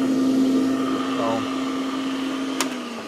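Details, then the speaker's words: Northern Industrial meat grinder after repairing a no-power fault: smooth, even motor hum of constant pitch, no grinding or stutter, then winding down. Normal motor running. "let's go ahead and see if it's gonna work turn it on ready to rock and roll"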